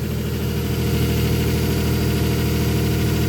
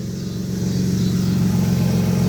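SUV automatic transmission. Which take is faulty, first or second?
first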